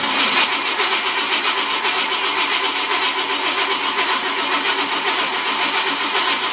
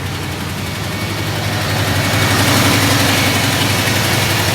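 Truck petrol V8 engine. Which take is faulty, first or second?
first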